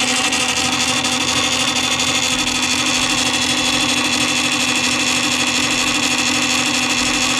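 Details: Columbia Graphophone AH (circa 1902) after a motor service in which both dry springs, with powdered grease, were cleaned and re-lubricated, running with no record: steady whirring gear hum with a constant singing tone, even speed, no clunks or binding. The motor runs normally.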